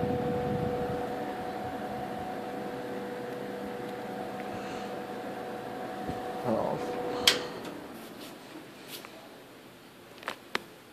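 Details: 1958 General Electric twin window/box fan, restored and repainted, started on high: smooth steady motor hum that fades, then a few handling clicks; old motor runs quietly and evenly, normal fan running.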